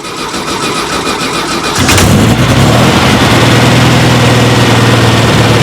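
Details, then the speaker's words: VW engine after replacing the exhaust manifold gaskets with CB Performance graphite compression gaskets: it cranks, catches and settles into a steady, even idle. The earlier tick-tick exhaust leak is gone; it is running normally. "yes that sounds much better no more tick tick tick tick"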